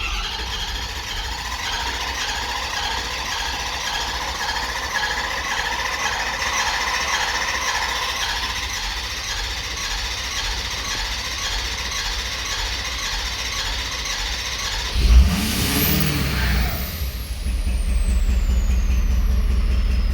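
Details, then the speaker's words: 2011 Ford Super Duty 6.7L Powerstroke diesel V8 with a misfire, cranking with starting disabled for a relative compression test: uneven cranking beat; cylinder 6 is 14% low, so low compression is almost certain. "Basically, with the sound we're hearing, the power balance, and the relative compression test, I'm almost 99% sure"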